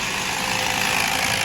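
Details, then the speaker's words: Toyota Mark II 1JZ-GE with distributor, under 20 km after a poor rebuild, idling with a fast hard clatter and heavy misfire; noise traced to the water pump. "Шум был установлен в помпе."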